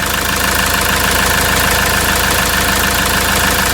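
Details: RAM ProMaster 3.0L diesel van at idle after the sticking EGR valve fix (P0402, P0101, limp mode) and reassembly, before clearing codes for a test drive. Steady idle clatter, even rhythm, no hunting or misfire; sounds healthy, normal idle.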